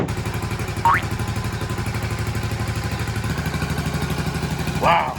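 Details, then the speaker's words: Restored 1984 Honda ATC110 three-wheeler, first start since last November after cleaned tank and fresh oil. Steady, even single-cylinder putt-putt at idle, no knocks or misses: runs smoothly. "It's getting all this oil and everything through the motor. First time in a long time. What's that? No valve check. No knocking."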